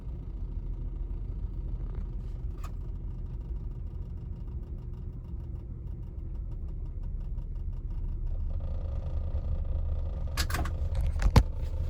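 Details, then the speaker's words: 1999 Lexus RX 300, about 310,000 miles, back in park: quiet uneven idle with loping, irregular beat in low rumble; cylinder 6 misfire, owner blames bad ignition coil; check engine light solid. "even in park it's not doing very well"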